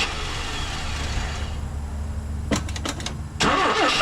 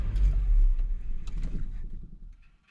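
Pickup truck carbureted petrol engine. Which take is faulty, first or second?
first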